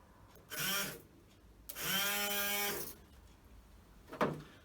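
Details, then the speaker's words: Land Rover Series 2A screen wash pump, not working before repair, bench-tested off the vehicle; three short bursts of even buzzing motor whir, steady pitch, clean starts and stops, water pumped, normal washer pump operation. "next test will be to see if it pumps right let's see if this pumps yep we've got water"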